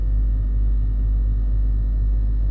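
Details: Range Rover L322 3.6 TDV8 Hitachi air suspension compressor lifting the car off its bump stops after overnight sag (codes CA120-64, C1130-7A); deep even thrum with steady pulse under engine idle, compressor running and raising.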